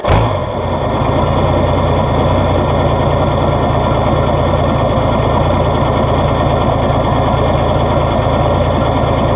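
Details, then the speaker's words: 1970–78 Rinker boat with Mercruiser 165hp sterndrive engine, cold start: catches quickly and settles into steady, even low idle with no knocks or misses; normal cold start. "And I'll put the sound back here so we can hear a cold start to see what she's gonna, just let's see what this sounds like."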